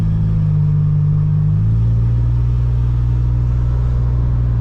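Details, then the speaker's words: Supercharged Pontiac Bonneville SSEi with a rebuilt transmission and a new tune, under wide-open throttle: a low, steady rotating whir that drops in pitch at a hard upshift. Owners suspect the supercharger pulley or the transmission; the cause is unconfirmed. "it doesn't pick up really well but it sounds like a whirring it's just like something rotational so we're suspecting either the supercharger pulley or it could be some with the transmission because you know we rebuilt it so who knows"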